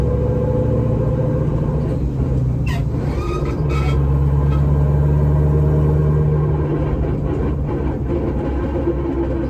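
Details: Dodge Challenger jacked up in shop, in gear with throttle applied: steady low drone and rumble swelling under load in second, third and fourth, not first or reverse; coming from rear differential gear set, not transmission.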